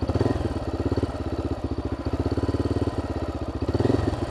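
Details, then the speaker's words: 2012 Honda XR650L single-cylinder with FMF Q4 exhaust at idle on a camping trip: steady thump about eleven beats a second with a loose metallic rattle riding on it; source not yet pinned down. "earlier this thing did not sound great there's like a rattle in there"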